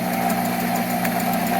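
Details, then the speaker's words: Monarch 10EE 30-inch lathe, first run after sitting about 20 years, spindle sped up in open belt, not back gear: smooth steady hum with even tones, no knocks or thumps; very quiet, healthy. "it's actually very quiet"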